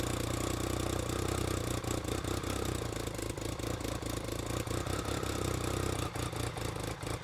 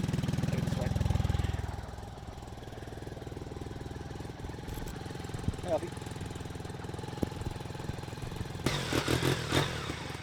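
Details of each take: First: BMW K75 RT right after fuel injector replacement, test run: steady three-cylinder drone with uneven dips and slight stumble, same as before. Poor running and lack of power, likely from a dirty air filter. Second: BMW K75 RT at minimum idle setting, still cold and warming up, after spark plug change, fuel injector replacement and air filter cleaning: low, steady idle with an even pulse and no misses. Normal cold idle.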